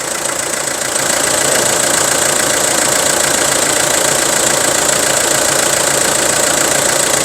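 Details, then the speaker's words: Isuzu Rodeo 4WD diesel with imported engine, inline diesel pump, no turbo or intercooler leaks, just started: steady diesel clatter at about three and a half beats a second, even rhythm, no misses. A normal, healthy idle. "สตาร์ทเครื่องยนต์ให้ฟังแล้วนะครับผมเสียงเครื่องเงียบๆนะครับเทอร์โบไม่มีรั่วไม่มีซึมอินเตอร์ไม่มีรั่วไม่มีซึมนะครับ"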